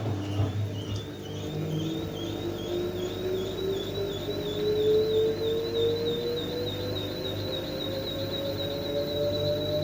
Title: LG TurboWash, TubClean Cycle, Squeaking Noise